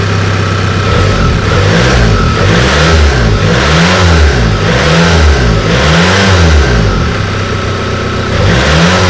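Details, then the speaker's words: Bassvan engine, first run after sitting a long time, revved for a few seconds on new accelerator wiring: repeated blips with a harsh, rough, loud roar; abnormal noise, owner suspects oil not cycled in a long time or the engine mounts. "we'll have watched to at least the point where the engine was making the god awful noise so if you know why it's making the noise it could just be because it hasn't cycled oil in a long time maybe that's the problem"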